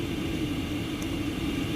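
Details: Chinese all-in-one 8000 W diesel heater with 5-litre tank, newly installed in an expedite van, at full output: steady even blower roar and low combustion hum, no surging or popping; probably exhaust around 210 °C, running normally.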